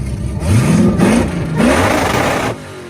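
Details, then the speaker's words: Supercharged V8 free-revving: three quick blips, each revving cleanly and dropping back with no misses or knocks. Healthy revving. "it sounds absolutely ridiculous yeah I love this thing on the Limited sounds so good dude"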